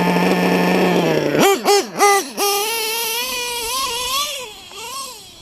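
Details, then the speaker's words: LRP .32 nitro engine with Novarossi race carb, first run of the day: thin high-pitched scream wailing up and down through quick throttle blips; owner thinks the high-speed needle is set a little too lean. "I think I had her a little little bit too lean all right people let me give her a once-over real quick"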